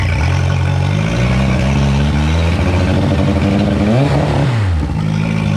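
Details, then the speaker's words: 2011 Yamaha T50 outboard that used to die when choked; after fuel line, bulb, filters, thermostats and plugs replaced: steady throbbing idle on choke, dips and recovers around four seconds, keeps running; normal idle on choke. "That's a good sign, because last week when I would go to choke it like that, it would die out."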